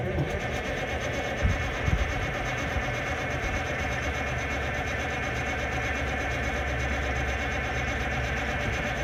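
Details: Peterbilt 359 with a Detroit 8V92 two-stroke diesel, cold start at about -2° after sitting about a week and a half, recorded from outside the cab: a steady gruff drone with a few early uneven pulses, settling into an even cold run. Normal diesel cold start.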